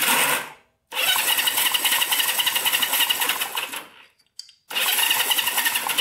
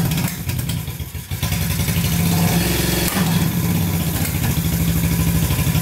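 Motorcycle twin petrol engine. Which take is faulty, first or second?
first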